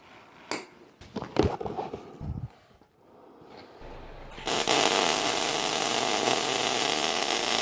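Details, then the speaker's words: ER70 wire, short-circuit MIG, contrasted with Polaris Max Shield Pro 0.035 dual-shield flux core on C25, which sounds more like spray: steady, even crackling sizzle like frying bacon once the arc settles; normal short-circuit MIG welding. "Now we're going to run some ER70. Listen to the difference. You'll definitely hear the difference between a spray and a traditional short circuit."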